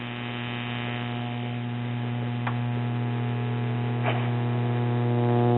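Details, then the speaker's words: 1936 Grunow model 564 five-tube superheterodyne AM radio, run through a 100 W bulb limiter and recently recapped with newer electrolytics. A loud, steady 120-cycle hum stays unchanged as the set warms. "but we still have 120 cycle hums so that makes me wonder have these capacitors failed or did somebody wire them in incorrectly"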